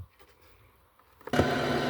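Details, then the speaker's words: Car audio system with bad four-channel RCA cables, keys on and radio on: silence, then a click and a steady hum with whine and hiss from the speakers, less in the subwoofers. Alternator whine from a faulty RCA cable. "You hear that? That's really bad. All right, put on the subs. It's not as bad, but you can still hear in the subwoofers."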